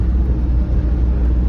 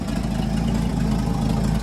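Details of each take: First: Old Ford F100 junkyard pickup, manual transmission, after brake repair, on first drive: deep, smooth low rumble holding steady with no ticks or knocks; the V8 runs great, normal idle. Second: Junkyard Ford F100 truck started after sitting six weeks, during brake repair: engine catches and idles with low uneven rumble, then sags and dies out, but refires right up; stalling shortly after start.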